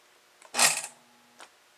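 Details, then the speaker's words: Log loader lift solenoid after repair: electrical tape on the end of the plunger stops it going too far into the solenoid; one soft clunk, short low buzz, faint click on release, now quiet. "isn't that nice and quiet yours can be nice and quiet too a little bit of electrical tape applied at the end of that piston so it doesn't go all the way into the solenoid"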